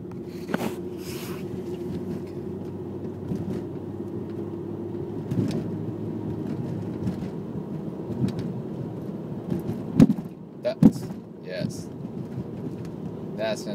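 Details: 1997 Audi C4 A6 Avant, right front, driving on a bumpy road: sharp pops and clunks even over small potholes. Strut is a 2011 Bilstein B8, the spring is H&R, and the shock has been checked. Owner suspects a strut bearing or loose strut-to-chassis mount.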